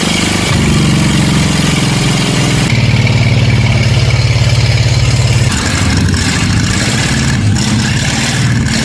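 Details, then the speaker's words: 1946 Plymouth P15 original six-cylinder engine during restoration, after swapping the cylinder 1 and 6 ignition wires suspected of causing backfiring and adding friction-reducing additive: a steady, even idle with a smooth low beat, no popping or misfire. "Fire it up again. This engine, finally running right."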